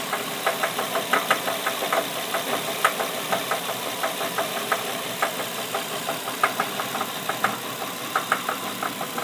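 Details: 73k-mile Nissan VQ35DE engine at idle, remote started, then revved (drive by wire): sharp ticking knock repeating steadily, traced to the #3 cylinder; cause not yet known.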